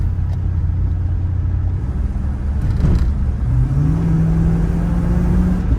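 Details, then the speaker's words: Pontiac Trans Am V8 after a curve kit was fitted, with base timing at 13 degrees and total timing not yet set, accelerating: a steady, deep rumble rising in pitch with no metallic pinging, and the alternator is charging. "No pinging, alternator's charging. I put the timing right back at 13 degrees base."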